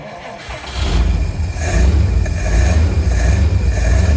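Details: 1952 Cadillac Series 62 V8 first start after a full carburetor rebuild, no adjustments yet: cranks, catches and settles into a deep, fairly steady rumble with no knocks or misses; it backfired a couple of times, which the owner suspects is timing.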